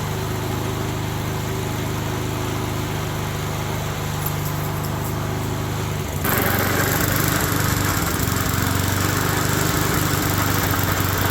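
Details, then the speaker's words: Neglected small single-cylinder engine after oil change: coarse buzzing shake turning harsher and louder halfway through; top and bottom case bearings supporting the crankshaft are both wallered out. "essentially what's happened is the case bearing on the top and the bottom that support the crankshaft are both wallered out"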